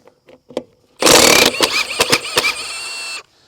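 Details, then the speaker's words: Milwaukee M18 FUEL Gen 3 1/2" high torque impact wrench, 5 Ah battery, removing original rusted 13/16 trailer lug nut: few clicks then two seconds of steady rapid hammering, labouring briefly to break the rust-seized nut loose. "yeah I can definitely some Rust in there that was given a little bit of a struggle there"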